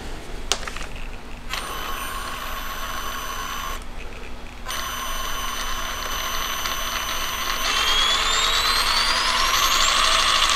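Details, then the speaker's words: Cobra 10 ESC programmed via CastleLink for rock crawling; high electronic whine jumps between two switching frequencies and cuts in and out at barely-moved low throttle, then sweeps upward; settings change didn't fix it. "you can hear it switching between I'm barely moving my finger like not even perceptible amount and it's switching between those two frequencies"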